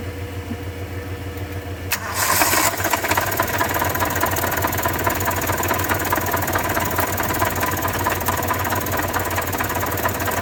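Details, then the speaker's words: 1993 Toyota Tercel, jump-started, after reinstalling a bolt and found half to one quart overfilled with oil: catches after short crank into rough idle with heavy uneven knocking, won't accelerate; owner suspects rod knock. "yeah something is definitely wrong there that's a lot of knocking and uh it won't accelerate at all and uh that's a whole lot of knocking it sounds like a rod knock honestly or something"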